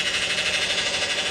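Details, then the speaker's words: Likely a Dodge Avenger that won't shift or barely shifts (codes P1790, P0944, P0868), idling: a high, steady whine with a slight pulse that grows louder. Transmission fluid is low and smells burnt, pointing to internal transmission problems. "it's low i just took a whiff of that guy that fluid is burnt guys we have internal transmission problems all right that is not good and that doesn't sound good at all"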